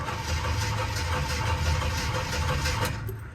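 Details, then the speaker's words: 1978 Jeep Cherokee, sat for years and unstarted for at least a year, cranking after about 15 pedal pumps: uneven low starter churn that never fires; cranks but no start, old fuel suspected. "not terrible and like i said we're probably gonna have to uh pour some gas down the vent tube because that fuel's probably about had it"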